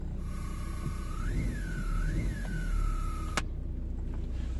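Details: Car audio with an eBay amp adapter, ignition on and engine running and revved, recorded near a speaker: a thin whistle over the engine climbs and falls in pitch with revs. Owner suspects a bad amp adapter after trying multiple grounds; alternator whine suspected, not confirmed.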